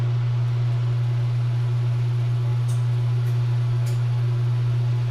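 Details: Samsung NE59J7630SG electric range convection fan motor after replacement of a noisy failed motor: smooth, constant low hum with no rattle, scrape or wobble; the new motor runs quietly and healthy.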